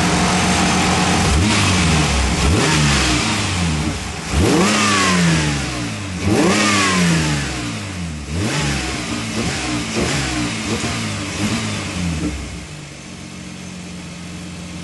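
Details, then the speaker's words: 1973 MG BGT with Megasquirt 3.1L V6, driveway, about 40°F outside, around 12.8 AFR while warming up: crisp throttle blips returning to steady idle, electric cooling fan kicking on for the first time; healthy, normal idle and revving. "put my foot on the gas pedal doesn't sound bad in here actually muff was pretty quiet"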